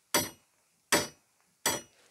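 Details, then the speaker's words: Opel Astra with a broken hood prop rod foot: the loose rod moves freely and, with the slightest movement, strikes the front panel near the LPG ECU, giving sharp tinny metallic clinks. "bu en ufak harekette buraya çarpıp da Çinçin tın tın sesi çıkartıyor"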